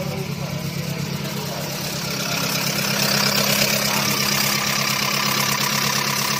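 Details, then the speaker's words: Proton Campro engine with soft, unserviced hydraulic valve lifters: very rough idle with quick, fairly even ticking about three per second from the valvetrain. Servicing and filling the lifters with oil makes them firm. Hydraulic lifter noise. "Bunyi yang sangat kasar."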